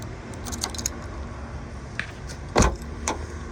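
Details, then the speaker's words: Honda Civic after door lock cylinder replacement with OEM Honda parts, key turned to lock and unlock: quick mechanical clunks with a sharp lock thunk near the end; central locking works normally. "So I'm gonna lock it. You can hear the car is locking. Unlocked, locked."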